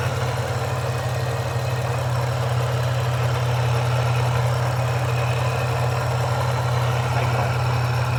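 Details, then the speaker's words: Toyota 3.4L V6 after a supercharger install, cold start, tick appearing about 8 minutes in with a vacuum-like static noise; light tick about three times a second at idle from the back of the engine, gone when revved; owner suspects supercharger rattle, PCV valve or lifters. "8 minutes into the video, and you can hear that sound coming in. Now let's go to the engine bay and check the sound. Sound is coming somewhere from the back."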